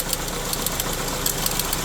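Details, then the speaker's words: 4-cylinder engine idling on a hot day, under the hood: rough idle with a fast, steady tick of about seven per second over a dull rhythmic knock. A belt is possible, cause unclear. "That clicking noise, that could be a belt though. But the motor in general, I hear like a... You hear that? It's like hot, hot, hot, hot, hot, hot, hot, hot. It doesn't sound good."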